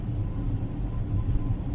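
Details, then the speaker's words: 2014 Ford Escape 2.0 EcoBoost on a road test just after the dealership: deep, steady rotational rumble, with the front right wheel bearing howling badly and the back right also making rotational noise. "i've barely left the dealership and i can already hear the front right wheel bearing howling and the back right both of them are making rotational noise and these are notorious for bearings going bad"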